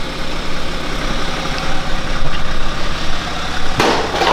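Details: BMW N57 diesel, first start after timing chain and main bearing replacement: steady low rumble at idle with an even beat, no knocks or rattles; engine sounds healthy and smooth.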